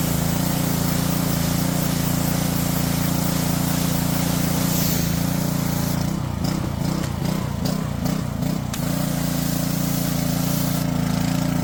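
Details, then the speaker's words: Small single-cylinder engine from a junked Toro mower or Honda pressure washer, idling after a fresh-fuel top-off and a drained carburetor float bowl; it runs much better but still has a slight rise-and-fall surge at idle. "Yeah, that sounds way better. Oh yeah. Well, still doing a little surging, but seems like that cleared it up quite a bit."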